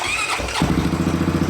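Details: Honda 420 ATV, first start after top end rebuild to fix loud piston slap: fires at once and drops into an even, steady thump at idle with no slap or knock; noise gone, running healthy.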